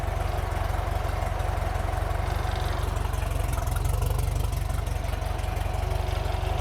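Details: Toyota 22RE petrol four-cylinder in a buggy, starting on the old fuel pump refitted after the new same-part-number pump gave too little pressure: even, steady low idle pulse around four beats a second, no misses or knocks; normal idle.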